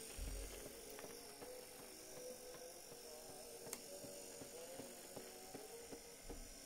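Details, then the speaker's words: 1959 Clarion transistor battery 3-inch reel-to-reel portable tape recorder, long stored, needs service: faint, slow dragging playback with soft regular knock about every half second, motor passing a rough spot on the wheel, likely from sitting parked for years. "so it needs a service they can hear that it's trying to do something but it does all turn the knocking is the motor going over a rough bit on the wheel underneath"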